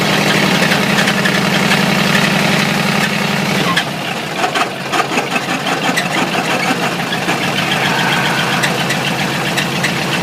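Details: Ford 351W V8 with a spun rod bearing, abused until it dies: sharp, irregular knock rising over the exhaust rumble at idle, quickening with revs; rod knock from the spun bearing.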